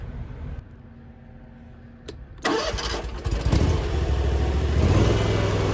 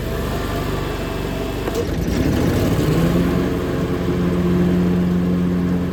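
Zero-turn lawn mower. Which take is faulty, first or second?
second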